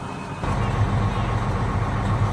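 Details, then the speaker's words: Semi-truck diesel at idle: a low, rapid ticking rattle over a steady idle that stops when the clutch is pushed. Driver suspects the clutch brake is going out. "Hear that tickling down there. And it stops if you push the clutch, so I think the clutch brake's going out."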